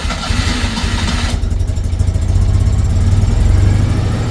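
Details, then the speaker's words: Citroen 2CV flat twin after an oil change and valve clearance adjustment, first start once oil pressure builds: starter whirr, then an even, low chuffing idle with no valve tapping; it sounds much quieter and healthy. "there we go all the pressure achieved let give a very short run sounds much quieter"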